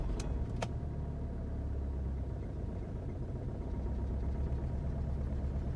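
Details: 2013 VW Jetta 2.0 TDI diesel, under warranty, no codes stored: low labouring slow crank, about four turns a second, never catching; owner suspects hydrolock, must drain the intercooler each time; also low power and poor mileage.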